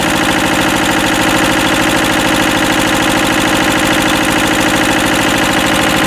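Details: Westwood lawn tractor with Ruggerini twin-cylinder air-cooled vertical-shaft diesel, previously hydrolocked, after repair with new starter motor: even, steady clatter at a constant fast beat, no misses or odd knocks; normal running.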